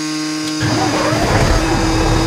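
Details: Mack truck diesel after its starting problem: starter motor reinstalled and checked good. A steady hum gives way to the engine catching and settling into a strong, even rumble with no misses or grinding.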